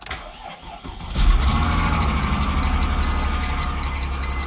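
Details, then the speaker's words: Salvage-title wrecked 2001 Mercedes-Benz SLK320 6-speed, wires twisted to bypass immobilizer, clutch depressed: engine catches immediately and settles into steady even idle while car alarm sounds; starts fine, coolant low, radiator possibly hit. "Okay, so that's good. So it starts, but the car alarm's going off."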